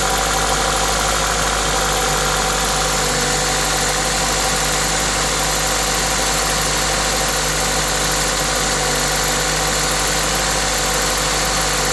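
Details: Toyota 2ZZ-GE engine with an induction kit: steady, even idle with a constant intake hiss from the induction kit over it, no knocks or misses; normal idle.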